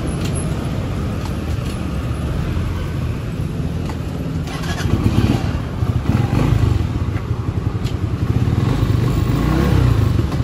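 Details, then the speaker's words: Skygo 150 King scooter riding home after a two-year overall check-up with new oil and both brakes and brake light fixed: even, steady engine drone rising gently with throttle, no knocks or rattles. Normal running; sounds like brand new. "Ayan, no, napaka ganda, may brake na tayo, dalawang brake, tapos may brake light na, condition na yung brake light, tapos ayan, no, ang ganda ng tunog, no, parang brand new yung motor natin."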